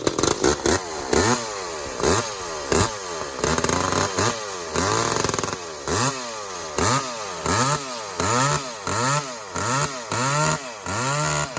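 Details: Walker-ported 850 chainsaw, 32-inch bar, skip-tooth chain, on its second run with carb set rich for break-in: revved in short bursts about once per second, burbling four-stroking edge between pulls.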